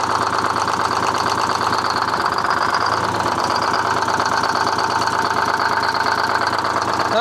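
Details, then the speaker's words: Detroit 6V71 two-stroke diesel in a 1970 Peterbilt 341, run with the valve cover off after the injector was cleaned and reinstalled. Lumpy idle with an uneven, skipping beat and heavy clatter; one cylinder still not firing, obvious blowby. "We know that hole didn't come back to life just yet."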